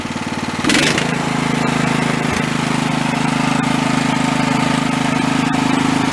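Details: Small single-cylinder engine after carb work and a new NGK spark plug; it had still missed at high idle, and the old plug was hot and glazed. It fires up into a steady, even beat; the owner believes it had been running lean and the problem is solved.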